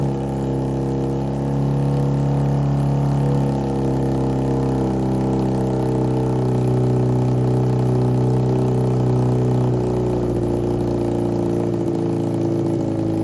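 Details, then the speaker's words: 1987 Honda CBR600F Hurricane four-cylinder, first start after reassembly, dry carbs fed fuel by spray bottle, one float sticking then settling: steady low idle, even hum with slight pitch drift; normal idle. "Okay, so finally got this guy running. Uh, it did take a lot of spray to get the carbs to start pulling fuel."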